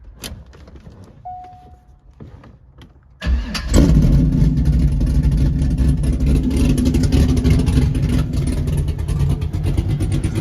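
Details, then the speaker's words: Chevy SSR V8 swapped into a C5 Corvette, with a new fuel pump, base tune and straight pipes, in neutral: quiet cranking, then it catches with a sharp bark and settles into a loud, lumpy but steady idle. "dude we actually already got a base tune uh loaded in too so it should idle all right guys new fuel pumps in we're in neutral it's straight piped"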